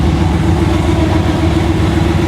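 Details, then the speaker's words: 1959 Rambler race car V8 (about 1000 hp), before its first drive, cold water temp, cooling fans off: deep steady even rumble, no knocks or misses, oil pressure and voltage good; normal cold idle. "water temp is still nice and cold so it's going to take it a minute get warmed up idle is great she sounds healthy"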